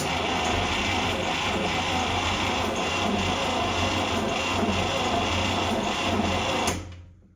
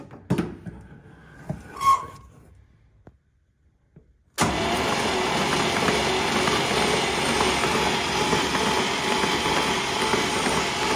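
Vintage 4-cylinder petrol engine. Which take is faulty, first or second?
first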